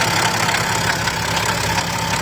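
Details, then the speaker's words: BMW X6 idling with the belt removed, noise from the front of the engine still present: harsh, busy rattling hiss with a faint steady tone, thought to come from the exhaust/turbo side; to be investigated, cause unconfirmed. "So now we're just gonna start taking the belt off, and the noise still there. So it's coming from this exhaust,"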